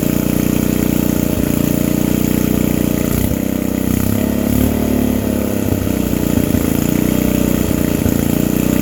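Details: Old vintage generator, just started with the air filter off, before its electrical output is tested: steady small-engine run with slight rise and fall, no knocks or misses; normal running.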